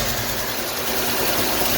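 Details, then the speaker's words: 1971 Chevy C10 V8 after roadside coolant leak repair, temperature back to normal: steady, even smooth idle with no knocking or ticking; sounds good despite a small clank noted earlier. "Man, she sounds good. I don't think we heard it at all."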